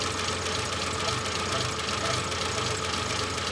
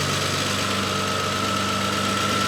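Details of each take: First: Renault 25 V6 Turbo started after winter storage, held on throttle, idling very low and uneven with loose irregular pulse under steady hiss; idle control valve suspected shut or defective, linked to a burning ECU issue. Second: Renault 25 V6 Turbo cold idle after idle control valve repair, steady idle with faint constant whistle, speed holding without hunting or dying where it previously stalled; normal controlled idle, ECU no longer burning.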